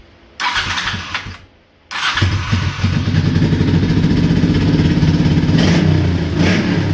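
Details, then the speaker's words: 1984 Honda Shadow motorcycle after fuel pump, fuel system and carb float work, old spark plugs still fitted: starts, then lumpy uneven idle with faint irregular miss; still rough, owner suspects fuel or old plugs, needs more running. "still got some noise over there but uh needs to be run a lot more i'm thinking that's either between the fuel that i've got in it or the spark plugs that are still in it"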